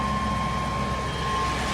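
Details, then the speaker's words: 1995–2002 Chevy 1500 V6 van that would not start in the cold (around 40°F), after replacing spark plugs and wires: smooth, steady idle with an even low hum, no misfire, no check engine lights; normal idle. "You gotta run it. She's nice and smooth. No check engine lights on."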